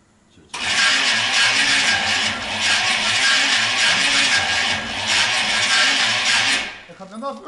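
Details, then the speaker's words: GMC Vandura, engine cranked from the ignition switch: harsh, hissy cranking churning about six seconds without catching, sound seemingly from the right side; starter drags unevenly, owner wonders if starter sits crooked, engine has compression, about 1 bar oil pressure, cause unclear. "Alter, irgendwie hört sich das nicht gut an, finde ich."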